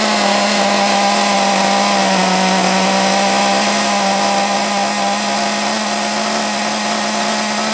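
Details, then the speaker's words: Small nitro RC engine, possibly not yet run in, freshly restarted with 3-in-1 oil and glow plug refitted, run off a stand because the flywheel hit it; sharp buzz holds at high revs but sags and stumbles, won't settle to steady low idle; rough low-rpm running, cause unknown. "but it doesn't like low RPM does it don't like low revs don't know why"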